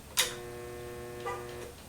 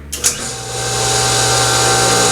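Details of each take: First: Sand Dollar two-speed pool pump switched on at low then high speed: a switch click, then a steady hum with lights dimming and no start; suspected failed capacitor, though a seized motor or bad bearings must be ruled out. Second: Sand Dollar two-speed pool pump after capacitor replacement (pump had been humming with bad capacitor), switched to high speed: motor spins up and runs with steady whirring hum and faint high whine, normal.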